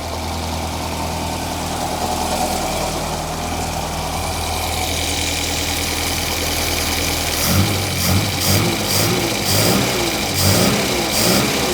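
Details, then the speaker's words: Alfa Romeo 1900 Super after retiming the engine: catches and holds a steady idle, then clean throttle blips that rise and fall freely; runs evenly with no misfire, sounding happier. "that's all right sounds a bit happier there doesn't it"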